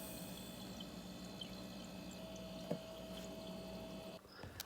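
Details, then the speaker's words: Kenmore Elite 24-bottle dual-zone wine fridge that was not cooling, being recharged with refrigerant, low-side gauge attached, target about 90 PSI. After compressor shutoff, faint trickling and bubbling under a soft hum; normal refrigerant gurgle. The fridge then cooled properly. "when you shut off the compressor you hear the bubbles like falling down or something"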